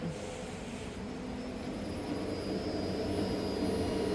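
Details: Truck running E85, key on and engine off: a steady electric whir at an even pitch, the fuel pump priming normally with no leaks found.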